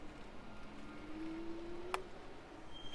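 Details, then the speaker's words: Freego F12 electric scooter, new out of the box, first ride: steady mid-pitched squeal rising slightly for under a second under hard braking; squeaking brakes, common on fresh brakes. "I'm always trying to lock up the brakes. They're squeaking, you can hear. I couldn't really lock them up."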